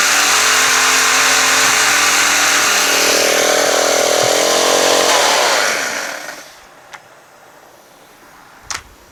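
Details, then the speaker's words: Used pressure washer, engine fine after a throttle-linkage adjustment: when the pump engages it runs about a second, then a metal-on-metal grinding drone bogs and stalls the engine. A water-pump fault is suspected, possibly low or leaked oil. "is that when it's engaged right it runs fine for like a second and then it goes to like this this sound where it seems like it's metal grinding on metal"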